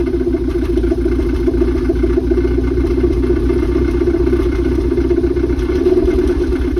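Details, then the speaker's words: Toyota MR2 after alternator and serpentine belt replacement runs rough with an uneven bubbling rumble, so it was shut off; owner suspects something got fried when it sparked with the battery still connected, and dash and speedometer are dead. "so we had to turn it off because as you hear it's like bubbling it's being weird"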